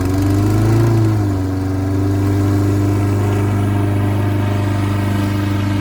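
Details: Toro 6.75 HP 149cc mower with a Kohler engine, after bad gas and an added fuel shutoff. It starts on one pull, catches with a brief rev and settles into a steady, even run; healthy running.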